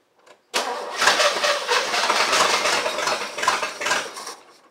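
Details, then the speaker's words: El Camino project car with a freshly charged battery and fresh gas, never yet heard running. The starter spins the engine in uneven rhythmic chugs for about four seconds and it never catches: crank, no start. It is getting gas and spark; cause unknown. "listen I need you to run everything is in you're getting gas you're getting Spark"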